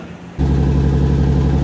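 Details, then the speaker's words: BMW E46 M3 with swapped 2JZ non-VVTi built engine, after fixing a kinked line (owner had feared unseated rings): fires up into a steady, even low rumble with no misses or knocks; runs healthy. "so we seem to have fixed issue this line was kinked"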